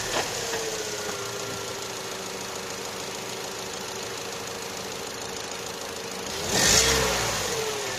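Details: Opel/Vauxhall Astra J 1.4 after new spark plug and ignition coil for a cylinder 1 misfire: quiet, smooth idle with no stumble or miss, short rev blip returns cleanly; misfire counts now zero on all cylinders.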